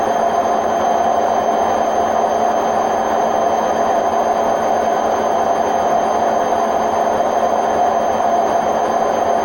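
Loud, unbroken roar with a steady droning tone all through the spin, no letup; the drum bearings are worn out.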